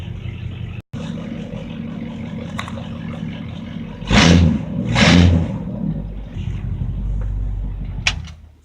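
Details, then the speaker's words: C10 truck V8 idling with low steady rumble and two throttle blips after fitting a replacement fuel pump; tapping gone, owner believes the old pump had play or a sticking piston on the diaphragm. "Yeah, it sounds a whole lot better now. That tapping sound is gone."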